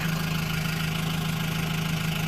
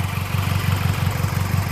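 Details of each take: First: Engine at idle after valve cover work: a steady, fast ticking chatter over the engine note, unchanged and the same noise as before. Owner suspects plastic left under the cam and plans to redo the job. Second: Engine with a broken intake manifold clip zip-tied down: a steady, even low idle pulse with no stumble or cutting out; the engine sounds healthy.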